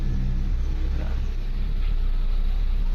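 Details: Suzuki SX4 after repairing a crank-but-no-start fault, test restart: low steady engine drone picking up smoothly on a light rev, no stumble or miss, running properly.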